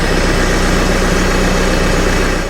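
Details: Cat TL1055C telehandler diesel, warm, new turbo fitted, no oil from turbo, before oil and filter change; steady even idle with smooth low pulse, no whistle or flutter; normal idle.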